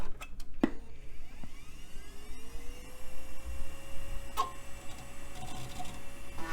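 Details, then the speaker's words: Compaq system's old hard drive after five minutes off: spins up with rising whine and a few sharp clicks, sticking less than before but still getting stuck intermittently; hard drive head sticking. "yeah it sounds like it's not getting stuck nearly as much now maybe it just needs some exercise"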